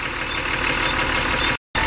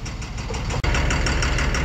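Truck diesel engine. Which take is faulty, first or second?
second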